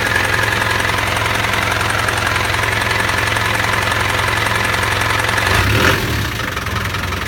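A steady tapping about three times a second rides over the idle and does not change; the engine has an unexplained knock.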